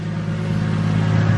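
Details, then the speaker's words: Nissan R34 Skyline, warmed up, after idle screw adjustment: smooth, steady low hum around 1060 rpm with an even rhythm and no ticks or stumbles. Normal idle. "yeah I think it's good right there like after warming up it's around 1060 so I think might just keep it right there"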